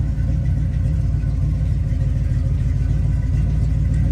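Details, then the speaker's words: Lifted 1978 GMC Custom Deluxe with Flowmaster 40 series true dual 3-inch exhaust: deep, even burble at idle, steady lope with no knocks or misses; engine sounds pretty good. "And the engine sounds pretty good."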